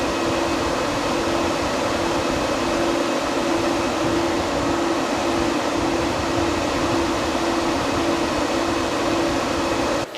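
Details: C10 truck with overheating problem, electric cooling fans after rewiring with added fan relay (fans suspected running slow from hot wiring resistance): strong even rush of air, steady hum, no drop-off; normal fan operation at full speed.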